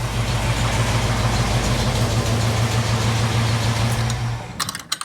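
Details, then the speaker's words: Jeep CJ-7 AMC 304 V8 with a Summit 8600 mild performance cam, idling with plenty of oil pressure after an oil service: a loud, deep, uneven rolling lope of about three pulses a second. It is a normal, healthy cammy idle. "So that Summit model 8600 mild performance cam they put in this motor, it's pretty sweet. It's got a really nice lope to it."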